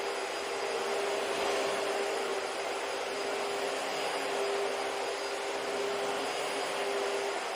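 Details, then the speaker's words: Dyson vacuum found in a dumpster, running after being fixed: an even, high, airy rush with a faint steady motor whine and a constant seal leak, with no surging or rattles. It works; normal running. "You can't really hear the motor whine because it's like always, or the seal leak because it's always there, but and it doesn't actually sound that bad, but yeah, it works."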